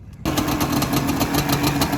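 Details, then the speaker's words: Yamaha Banshee two-stroke ATV after kickstarter rebuild (new ball bearing, spring and seal) to cure a rattle: starts at once into a crisp, even idle with steady crackle and no rattle; normal idle. "So I would say that definitely fixed that annoying rattling noise. You can't hear it at all."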